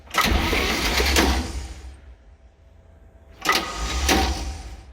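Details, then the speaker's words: 1966 Chevy G10 van, ATF in the cylinders, checking for spark: two short cranking bursts with a quiet gap and no catch; the starter engages only intermittently, and no spark is seen. "And just by chance, that starter is not catching every time."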